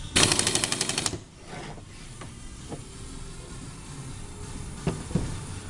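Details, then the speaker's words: Pneumatic capping machine on 7 kg air line pressure, quick one-second air-driven rattle that stops cleanly as the cap seats; the container is left perfectly closed. Normal capper operation. "si quisiéramos que estuviera con más presión cerrado queda perfectamente cerrado con esta máquina"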